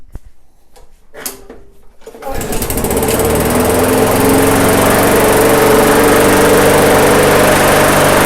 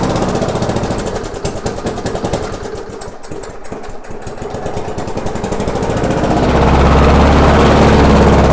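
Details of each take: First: MTD/Yard Machines walk-behind mower after a slight governor arm tweak: a few pulls, then catches and settles into a steady, even putter at low throttle with no hunting; runs fine. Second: Abandoned MTD/Yard Machines non-self-propelled walk-behind mower, after screw adjustment and air cleaner refitted: rough, regular popping beat near 220 a minute, then surges higher; engine judged good, governor arm blamed for the run issues.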